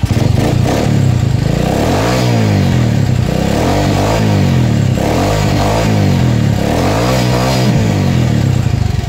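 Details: Small motorcycle after replacing stator coil and regulator (14.4 V output) to cure backfiring, idling steadily and revving cleanly several times with no popping or stumbling.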